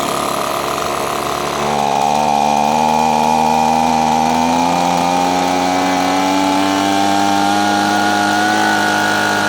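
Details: Echo PB-250LN leaf blower, two-stroke, running off choke after the bogging was cured by turning the carburetor side screw slightly counterclockwise: high buzzy note climbs a little then holds steady and even, no bogging or dying; running healthy.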